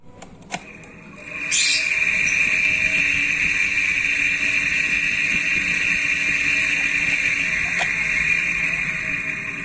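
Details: Sunon KDE2412PTB1-6A 24V 0.25A 3100rpm high-speed fan starting up; loud steady high-pitched ringing screech over rough hiss; worn ball bearings.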